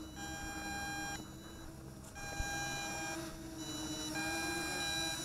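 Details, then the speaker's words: Eachine EX2 mini brushless FPV drone (1306 2750KV motors, 7.4V 850mAh battery), end of flight before landing: repeating bursts of steady high beeps over faint motor hum; low-battery telemetry warning. "There's our battery warning. It beeps too, by the way, if you notice."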